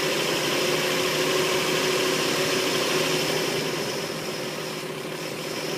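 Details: Engine idling just after a head gasket replacement: steady hiss and a slightly uneven beat of about four pulses a second. Rough idle; owner suspects a vacuum leak, not confirmed.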